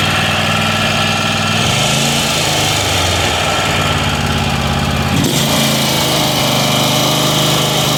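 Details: Weed Eater garden tractor, Tecumseh TVT691 two-cylinder, just refreshed, running on gas: steady small-engine drone that speeds up and holds a smooth, fast run with no knocks or misses; normal running.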